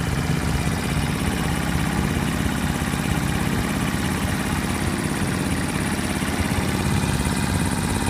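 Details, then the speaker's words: Horizontal Honda 50-100cc Super Cub type engine, warmed up about 15 minutes, valves adjusted: even steady idle with fine light sewing-machine ticking under exhaust, not invasive. Normal idle with slight valve tick. "that's why they call these little sewing machines is because they they just have the tiniest little tick to them I don't know to me it's actually quite therapeutic I can hear the part working but that's not invasive or anything"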